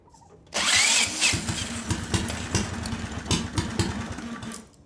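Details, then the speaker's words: Small see-through turbo engine on Amp-EFI and gasoline catches with a sharp burst, runs rough with uneven pops, then dies; over nine minutes of cranking failed because the fried crankshaft position sensor gave no crank signal or injector pulse. "E eu descobri que de uma forma ou de outra Toda essa energia de faísca que vem através do quadra Frito o sensor de posição do virabrequim Não há pulso do injetor"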